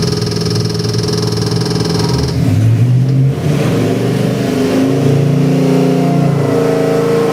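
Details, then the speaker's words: Chevy 383 stroker small-block V8 (Edelbrock intake, March pulley kit) for a 1932 Chevy truck, run after build: deep lumpy burble picking up cleanly on throttle blips, no ticking or knocking; runs great. "Fire it up, Matt. Runs great. How's that? Runs nice."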